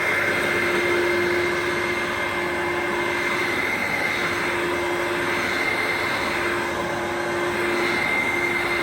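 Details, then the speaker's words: Vacuum used years without a filter, sole plate and brush bar refurbished, non-new belt, on carpet: constant high whirr, steady tone, no grinding or rattle; motor and brush bar running normally. "This thing just keeps going on forever and ever. Even after a few years of use without a filter, the motor's absolutely fine."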